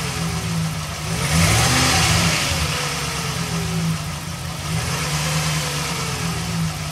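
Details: Engine blipping up and settling back: a metallic rattle and popping sounds, most noticeable as revs drop; the owner reports serious power loss and bad mpg and suspects an exhaust leak.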